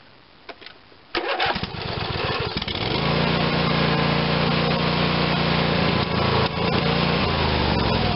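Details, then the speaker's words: Craftsman tractor, Briggs & Stratton 22 hp OHV twin, after full carburetor rebuild (previously ran only on choke): cranks, catches and settles to a steady even drone off choke, no surging. "Sounds good. As you can see, we've come a long ways from where we started."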